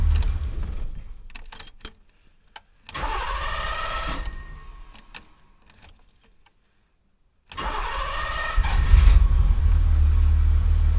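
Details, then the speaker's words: 1985 BMW 635 CSi with ongoing electrical faults, grounds cleaned and wiring redone, after a drive: starter cranks briefly and stops, then after a pause engine catches and idles steadily; only fires after the key is released, cause unknown. "started but it doesn't start until after you sort of lets the key go I wonder why"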